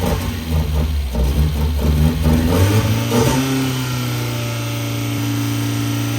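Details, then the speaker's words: Mazda Miata (NA8/NB6 engine swap) test-run day: revs rise and fall, then steady idle with a constant droning hum from a failing alternator; to be replaced with the alternator taken off the 1.8. "Alternator sounds really bad, so we're gonna take the one off the 1.8 and replace it."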